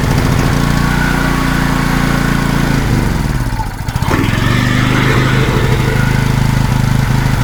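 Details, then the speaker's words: Wacker Neuson GP2500 generator, Honda GX160 engine, hard starting and previously only running on starting fluid: runs, sags and nearly stalls then recovers; lean fuel-starved carburetor only holding on half choke. "Right now seems to be running at half."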